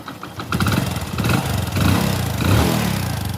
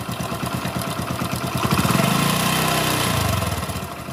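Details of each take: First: Hero Splendor motorcycle after a full genuine timing-chain kit replacement, started: it settles into a smooth, even idle with a steady beat and no internal knocking or chain rattle, with only the exhaust note standing out; normal idle, engine noise gone. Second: Hero Splendor single after a genuine Hero timing chain kit replacement; some timing chain noise remains, plus a light chik-chik ticking from the head over idle that follows the revs, suspected from a seized bearing. Camshaft bearing tick.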